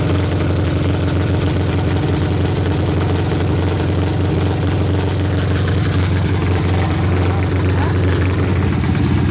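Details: Box Chevy build after ignition switch replaced, fuel pump on, at ideal fuel pressure: engine already running, steady deep even idle rumble with no misses or knocks; normal idle.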